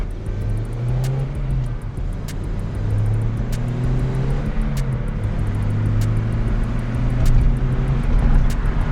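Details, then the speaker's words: Toyota Celica 2000 GT manual driving after ball joint and lower control arm replacement, alignment still off. A loud, constant low drone under road noise while cruising comes from a worn wheel bearing. "Oh, yeah, I hear that wheel bearing. Yeah, it's really loud."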